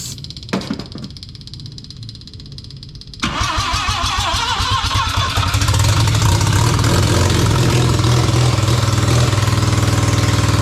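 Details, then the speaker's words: Barn-find Mazda RX7 12A rotary with carb, powered carb solenoids: slow cranking then ragged catch and rev on starting fluid, cutting out when spray stops despite fuel in float chamber; fuel not drawn through carburettor. "I can't seem to get it to suck fuel from the Carby I can only get it to run on the start you bastard"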